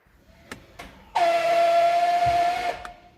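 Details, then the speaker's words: Range Rover Sport electronic parking brake actuator, motor driving gearbox that winds a threaded rod; sharp steady squeal about 1.5 s as the part hits the end stop on the thread; EPB actuator screech, repaired with new cables and gears. "the motor spins all this gearbox the gearbox spins this here which pulls which winds this up this thread and you can see it there on the end of the thread is the like the bit you used to unscrew it well that's a stop so when this part goes up against there that's when you get the screeching noise"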